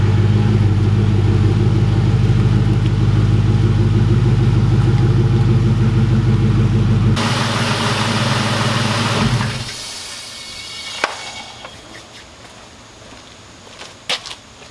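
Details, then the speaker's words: 1999 Mustang GT V8 after sitting for years, now with a Ford Racing intake, NGK plugs and a new fuel pump: even, steady idle with a smooth regular beat, no misses or hunting, before shutting off; running healthy. "So as you can hear, she's running great, idling nice and smooth."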